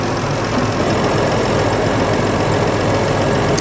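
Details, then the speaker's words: 2011 Chrysler Town & Country 3.6 L idling after AC compressor replacement and recharge: a steady smooth hum with no knocking, grinding or squeal as the compressor clutch cycles on and off. Normal operation. "so I hope you guys can see the AC compressor right there spinning okay it just stopped the clutch stopped it's going to go on again watch it right there so we're good okay so this is good this is fixed"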